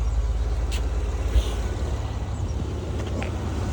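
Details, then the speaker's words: Acura MDX idling, misfiring and backfiring: a low, uneven rumble with raw unmuffled puffing underneath. The catalytic converter is busted and smoke pours out where it should be. "If you actually get on your knees and you look directly under there, you'll see smoke coming out of the exhaust where the catalytic converter is supposed to be at. So it's gone? Yeah, that catalytic converter is busted."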